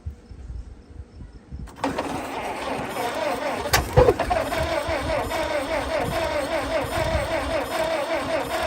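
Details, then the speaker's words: Farm-find Model T, possibly 1926, started with fuel sprayed in: quiet cranking, then a sudden catch and a few seconds of ragged uneven firing that never settles; won't keep running, spark plug wires suspected. "man what do you think is that classify as running make this video like and almost runs might run someday"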